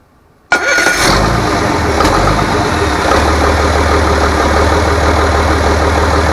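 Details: Rebuilt International DT466 diesel from a loader, previously knocking, first start after oil and fuel priming: catches after a brief crank and settles into a steady, even idle with no knock; healthy.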